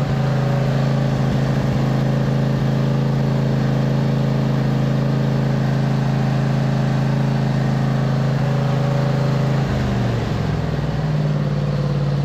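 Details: 2007 MTD/White Outdoors 54-inch zero-turn mower, twin-cylinder, running after charging-system repair, charging about 13.8–14 V: even, steady low drone holding speed with slight dip near end; normal engine running.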